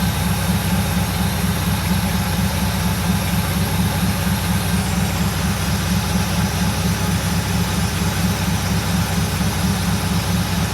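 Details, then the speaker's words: Mercedes 6.9 V8 cold start after sitting overnight, suspension raising, deep loud steady rumble with even low pulses at cold idle; loud exhaust, muffler cut off. "shut the door it's really loud because the muffler for some reason has been cut"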